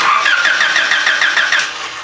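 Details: Honda engine with a no-spark, no-start condition, during a coil test: starter cranks with an even chug of about seven compression strokes a second but never catches; cranks, no start, coil suspected.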